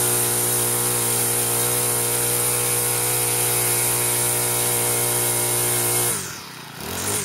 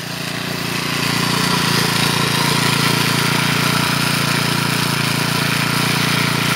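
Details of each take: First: Troy-Bilt four-stroke weed eater after clutch repair, cold on half choke, likely original oil; steady high buzz with a thin piercing whistle on top, holding even speed until it cuts off; runs really good. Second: Troy-Bilt four-stroke weed eater after clutch repair, cold on half choke; steady high-pitched drone with a quick even beat that never drops to a slow idle, trimmer head spinning continuously; idle speed set too high, needs adjusting.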